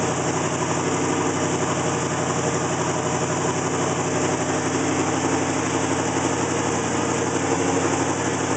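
Steady V8 idle with an uneven, lumpy beat that stumbles now and then instead of holding a smooth rhythm: a rough idle.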